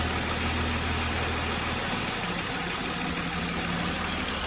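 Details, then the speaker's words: 2020 Jeep Gladiator idling after top-end repair for a tick suspected to be the rocker arms; steady smooth hum, quiet valvetrain, no sharp ticking. Belt noise normally fades after idling; owner suspects slight water pump drip. Normal idle. "Our kit run good. We let it sit here and idle for a little bit and then um our belt normally goes away."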